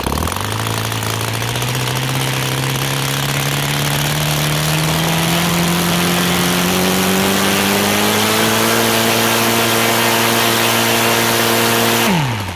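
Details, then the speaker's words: O.S. FT-300 twin converted to full gasoline with CH ignitions (idle 1200-1400 rpm, WOT 7000 rpm, Xoar 21x8 prop) after raising the idle: revs cleanly from idle, pitch climbing steadily with no stumble; smooth throttle transition. "okay idle right now and let's give it another try it sounds much better in transition"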